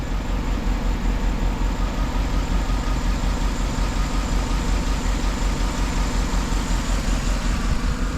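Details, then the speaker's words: 2011 Chevy Tahoe with white exhaust smoke, injector 3 control circuit code: lumpy, uneven idle with a recurring stumble; scan shows active misfire, cylinder 3 dead, with injector and ignition checks still pending. "Alright, so active misfires. Yeah, pretty much number 3 cylinder is dead."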